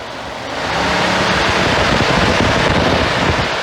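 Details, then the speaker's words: 2013 Ford F-150 whose high-speed cooling fan comes on with the A/C, high-pressure switch just plugged back in: loud rushing roar swelling to steady high speed; fans running on high with fluctuation. "there's the high speed again i don't like all that fluctuation"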